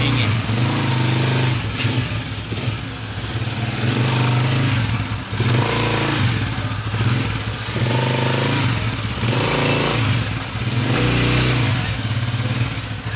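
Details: Honda CG 125 after the fix for clutch-box hum (a gear issue was suspected). Idle and repeated blips give an even single-cylinder thump with no rumble or rattle from the clutch side. Normal running.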